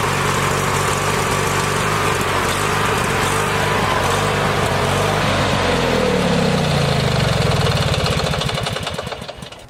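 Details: Small single-cylinder engine with a battery dead for months, started on a compact portable jump starter: fires and runs with an even steady pulse, then slows and stops; normal running.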